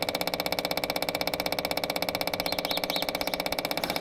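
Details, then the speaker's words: Branson 4720i diesel tractor, spring service with new 3263 fuel filter: rapid, very steady ticking about four per second, engine off, as the electric fuel pump kicks on and fills the filter; normal priming. "As you can see, you can hear the uh fuel pump kick on, which is right up there. And it is filling."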